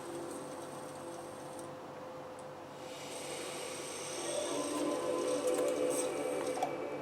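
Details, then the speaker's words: Modded PS2 trying to read a disc, using a magnet workaround: soft, regular clacks from the laser lens, about two or three a second over a low drive hum, as it hunts and fails to read. "Déjà, on avait remarqué qu'en fait, au niveau de la lentille, elle faisait beaucoup de claques."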